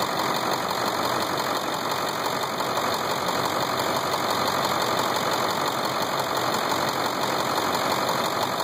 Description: Edit 3 years and 70k miles later. It wasn't a knock. In fact, it sounds great!